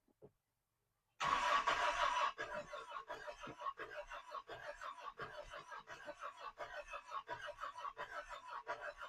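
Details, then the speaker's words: 1986 Toyota pickup in park, cranking with 60 psi compression on rear cylinders and 120 on fronts, a little throttle: weak uneven puffs, trying to fire on only 2 cylinders but not starting; low compression misfire. "Hey, that sounds somewhat decent. It's trying to hit on 2 cylinders at least. She's not going to do it."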